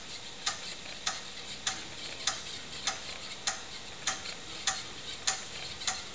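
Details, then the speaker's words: Tano Dragon 64 computer with TRS-80 CoCo disk controller running Dragon DOS, formatting a floppy with DSKINIT: crisp, evenly spaced ticks about 100 a minute during the verify pass, no grinding or stalls; head stepping normally. "the command becomes disk in it there it goes now you can hear it ticking away there we'll get our little Apple screen so now starting to verify pass on the disk"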